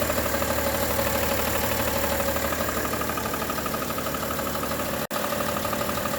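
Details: 2011 BMW 335d diesel idling with a steady light tick, about three a second, from a failing crankshaft harmonic balancer.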